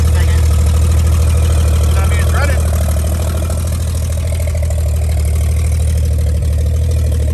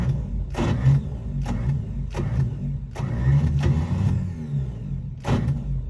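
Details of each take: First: 1955 Chevy straight-six running from a five-gallon jug after revival: deep even idle, steady low burble, no knocks or misses, idling healthily. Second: 1955 Chevy V8 cranks steadily but never fires or backfires, crank no start; long-sitting high-school car being revived, ignition timing far out.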